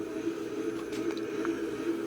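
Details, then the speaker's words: LAI Games Lighthouse redemption machine, lighthouse-top motor after repair, running in test mode: steady low hum with a rough, gritty growl from metal running against hard rubber. Noisy but working. "That's what you get when you're running metal up against a hard rubber. You're gonna get a noise, kind of a growling, I guess."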